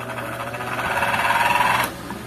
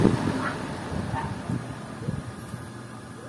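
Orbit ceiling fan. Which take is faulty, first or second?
first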